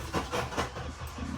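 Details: JDM Honda CR-V that sat abandoned a year, key cycled to build fuel pressure: quick even cranking beats about five a second that fade with no firing; crank no start, later found something wasn't hooked up and it then started.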